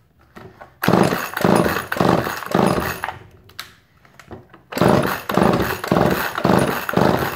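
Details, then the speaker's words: Chainsaw with sawdust-caked bar cover, earlier flooded, running on slight choke with a suspected fuel line leak up top: sharp crisp rev bursts about two per second with clean drops; runs healthy. "So, we know that it runs. That's a really good sign. That's a really good sign. Sounded good."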